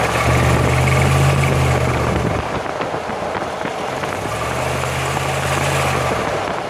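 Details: 2005 Jeep Grand Cherokee 5.7 with 136k miles, accelerating uphill; stereo recording, right channel toward the axle, left toward the driveshaft: a low drone builds under throttle and fades off load; owner suspects the differential.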